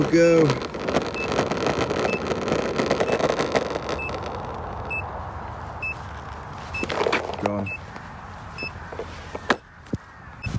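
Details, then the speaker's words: SoFlow Lou Board 3.0 electric skateboard near the end of a range test in about 2 °C windy weather, at 5.9 miles: short high low-battery warning beeps at irregular intervals over wheel rumble and wind as the board struggles and loses power. "you can hear it just beeping away let me know it's not a happy teddy bear five point nine miles it is properly struggling now"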